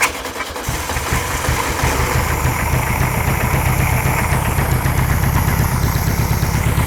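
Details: 1960s VW Beetle 1500 air-cooled flat-four petrol, unstarted since 1973, 8000 miles, choke and extra fuel: cranks briefly, catches within a second, then settles into a steady even low thrum; starts and runs cleanly.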